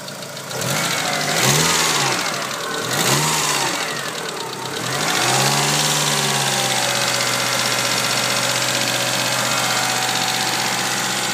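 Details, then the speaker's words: Eagle Talon engine blips a few times then idles with a light, fast tick about four per second; a lifter is suspected, 3G lifters expected to fix it. "I think it's just a lifter. Those 3G lifters will fix it, but go ahead."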